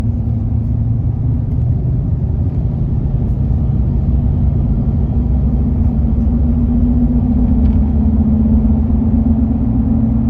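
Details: 2005 Toyota Tundra accelerating: steady low hum above road rumble, rising slightly as the truck pulls harder; source of the hum unknown.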